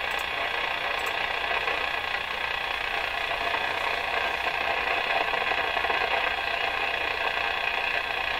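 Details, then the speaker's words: Rogers 11RA651 shortwave tube radio after tube replacement; steady hiss with sharp crackles, intermittent crashing static that worsened and then cleared; heterodyne gone. "You hear that crashing getting worse and worse and worse, and then fixed."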